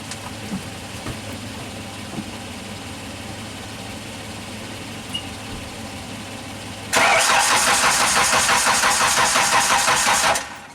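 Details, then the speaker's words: Genie construction lift engine, crank no-start, cranked with spark tester fitted: about three cranking pulses a second that never catch; no spark seen, crank sensor suspected next. "all right so we didn't have a spark it didn't look like it in the camera next step what controls this thing I say go for the crank sensor"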